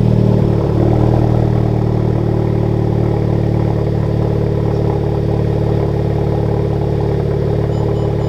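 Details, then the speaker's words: Honda Civic Type R just after a Tomei exhaust install: quick flare on start, then a deep, steady, quiet burble with no exhaust leaks, only the usual Honda engine tick; normal idle. "let's hear what it sounds like man give the people what they want all right let's see oh yeah that's hella quiet that's super quiet huh"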